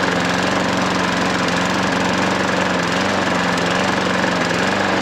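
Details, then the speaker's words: Hayter 43 lawnmower single-cylinder running after clearing hydrolock, oil overfilled; steady even drone at constant speed, no misses or knocks, only slight exhaust smoke; runs alright. "But a little bit of smoke on it exhaust, nothing. Really is nothing. I mean, it might burn a bit more. Seems to run alright, doesn't it?"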